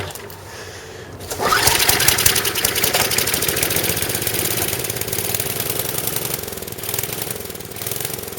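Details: Snowblower small single-cylinder engine on 85-octane gas, after auger repair with new drive belt: catches and settles into brisk even patter, no knocks or belt squeal; much smoother than the old chattering belt.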